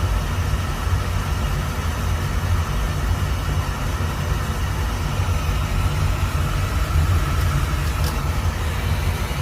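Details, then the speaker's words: Beckett oil burner after replacing the nozzle with a .85 GPH 80° solid-pattern nozzle (machine had been acting funny): steady, even low roar, no pulsing or surging; flame stable, normal operation. "machine sounds much better too though. Got a better nozzle."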